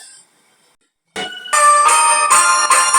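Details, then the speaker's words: Mini Bluetooth speaker after repair, battery connection soldered and clip rejoined: music plays loud and clean in steady bursts, no crackle, buzz or cutting out; normal playback. "দেখুন বন্ধুরা sound blue যাচ্ছে অবশ্যই সাউন্ডটি ভালোভাবে শুনতে পাচ্ছেন"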